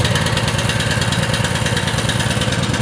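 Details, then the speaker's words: Small mower engine after diesel contamination, gas tank flushed and refilled with fresh gas but carburetor not disassembled: starts right away, even steady idle with regular firing, no misses or knocks; smoking a little, possibly diesel remnants. "all right wow i didn't expect it to start right away you can see it's smoking a little bit"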